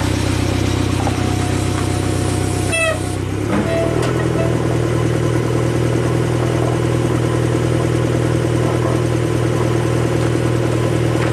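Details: 2015 Fiat 500 Abarth 1.4L turbo, 67k miles, after replacing a busted turbocharger with an aftermarket unit: catches after short crank, steady, even idle with a low rumble, though exhaust smokes oil.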